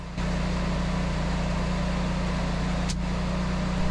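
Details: Generac 24kW standby generator runs on in cool-down mode after a load test and the grid's return to the transfer switch. Steady low even drone at constant speed with no knocks or misses, running smoothly.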